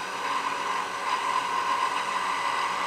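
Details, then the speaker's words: Woodturning lathe, skew cut on an egg: steady hissing cut with buzzy hum near 1 kHz, chatter as the workpiece vibrates on its thin tenon, preventing a smooth cut. "Hear that vibration? So I'm not going to get as smooth a cut as I could because it's vibrating on the thin tenon."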